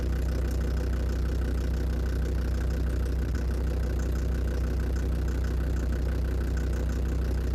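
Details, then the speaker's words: Land Rover Defender Td5 diesel at cold idle after radiator work, mic near the snorkel/air intake: steady light knock about three per second; source unclear, suspected hydraulic lifters or exhaust manifold. "не могу если кто то знает что это может быть источник звука воздухозаборник"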